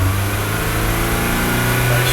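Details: MG TF 160 VVC, rebuilt Rover K-series engine, warm after heat cycling: revs up cleanly and evenly with smooth note, no knocks; PSCAN shows VVC/VVT requested and measured timing staying within a couple of degrees at higher rpm.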